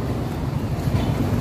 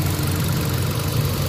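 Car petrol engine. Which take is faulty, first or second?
first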